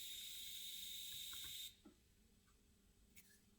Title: MacBook Pro (16", 2019) hissing noise during/after audio playback